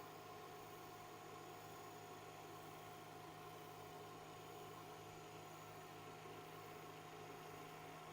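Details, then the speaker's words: BIQU BQ Hurakan bed-slinger 3D printer on Klipper, TMC interpolation on: steady buzzy hum with fixed high-pitched tones while the X axis moves, seeming to come from the toolhead end, cause not found – buzzing noise from X axis. "that was such a weird buzzing noise can everyone else hear that or is it just me that X just makes a weird Buzzy sound but it sounds like it's coming from here and not over here very peculiar"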